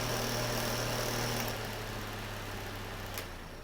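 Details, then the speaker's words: Cheap two-speed window fan on high speed: a steady low buzzing hum with a coarse rattle that tapers as the fan slows; loud buzzing on high, before the knob fix and disassembly. "here we go see the sound listen to that nice that's not something that I feel like listening to"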